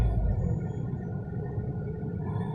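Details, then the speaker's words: 2019 Tata Tiago XZ+ three-cylinder at about 3000 km, parked, revved past 2000 toward 3000 rpm, phone near steering wheel, all windows closed; muffled steady drone, even and knock-free; normal cabin engine noise at elevated rpm. "तो ये जो नॉइज़ शायद आप सुन पा रहे होंगे, ये 2000 पे इतना नॉइज़ है, 2000 के ऊपर इतना नॉइज़"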